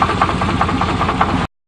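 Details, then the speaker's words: 1988 Chevrolet truck with suspected bad crank: steady idle with a dull, regular knock about five times a second riding over the engine, a deep bottom-end knock; cause suspected, not confirmed. "it's working good but not as good as that Saturn that's for sure you can't kill a Saturn oh that sounds kind of sick"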